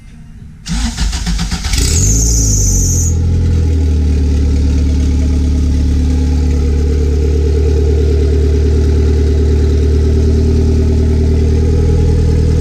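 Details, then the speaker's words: Honda B18 turbo engine in car, started cold before removal, said to have no issues though starter sometimes acts up; cranks briefly, catches cleanly, settles to steady even idle with smooth deep drone, normal start. "We're gonna put it on some blocks, turn it on, move it up, so y'all can see this runs. This thing pulls."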